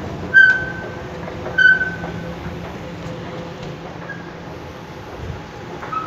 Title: M4 Fatih köprüsü metro merdivenlerinden gıcırtılı ses